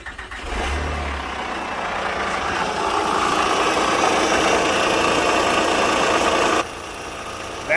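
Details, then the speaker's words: Honda Pilot with oil and coolant levels fine: the engine catches and idles with a steady deep knock about four times a second, seeming to come from the timing belt area. A mount was first considered; rod or bearing knock is suspected. "The noise sounds like it's coming from the timing belt area."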